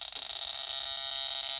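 Rapid, even clicking from a pulse metal detector's speaker, a thin high buzz showing normal operation.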